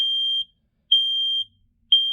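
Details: Loud high-pitched beeps, about half a second on and half off, in a three-beep pattern with a voice saying "Fire". A Kita and COPED photoelectric smoke and carbon monoxide alarm sounding normally on test.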